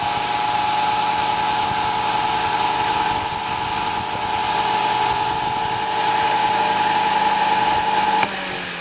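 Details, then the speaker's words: Vintage Zero table fan after switch install and oiling the motor: clean steady mid-pitched hum with no scraping or ticking; the newly installed switch still seems unreliable when turning on. "I just needed a little bit of oil in the right spot"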